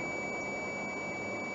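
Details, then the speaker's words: 2001 Blue Bird CV200 bus, cold start after the intake heater warms: steady high-pitched beep from the air brake system before air builds up; low air pressure warning beep. "And that beeping is the air brake stuff."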